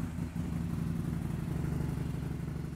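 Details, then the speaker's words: 2008 BRP Can-Am Spyder, 990 two-cylinder, 63,000 km, rough idle: lumpy, uneven low pulse, sputtering and misfiring; diagnosis showed uneven intake air pressure between cylinders 1 and 2. "the customer complains that the machine is not running well it sputters and [Applause] [Music] misfires"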